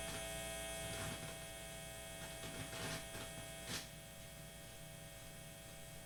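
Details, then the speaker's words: Guitar with the Bob button reinstalled still hums; the hum disappears with the button on, and the owner suspects the button or its chip. A steady low buzzing hum with a faint whine and occasional crackles, interference with the cause unclear. "yeah I can't seem figure out why I can't make this work without humming there seems to be a lot of interference"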